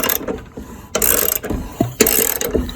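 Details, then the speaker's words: Seized lawnmower engine after treatment with penetrating spray, spark plug disconnected and no gasoline: bursts of clicking and ratcheting as the blade is rotated by hand, no binding; the engine has loosened up and turns freely again. "All right, so when I put it back, so that thing did the job. It loosened up."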